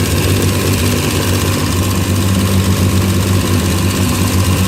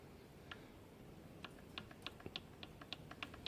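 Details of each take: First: Race car after new engine build and gearbox conversion, running during prep before testing: loud, steady low drone with an even firing beat and no knocks or rattles; engine runs smoothly. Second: Crankshaft rocked by hand giving light, sharp metallic clicks: play from worn bearing journals.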